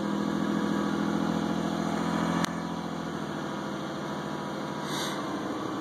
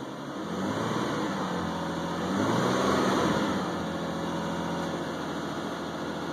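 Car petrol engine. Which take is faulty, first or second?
first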